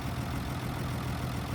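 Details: 1962 Ford Falcon six, revived after sitting since 1982, just after setting the points: steady low idle with an even unbroken beat, no knocks or misses; sounds normal.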